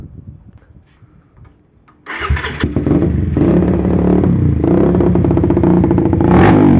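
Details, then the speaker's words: Carbureted motorcycle with vacuum fuel tap stumbling badly at idle and off-idle, but running fine when revved; uneven idle with carburetor hissing as it sucks air. Rich mixture, heavy fuel use, fouled plugs, petrol smoke, despite carb cleaning. "Nah jadi kendalanya seperti itu bisa kita dengar dari suara karburatornya nyedot udara kayak gitu ya ini boros banget ya teman-teman"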